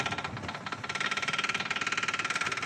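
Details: B20 engine Honda Ballade with wheel hop: fast, sharp, even knocking about fifteen per second, loud over the running engine; source not pinned down, seeming to come from the outer side, and a new wheel bearing is planned.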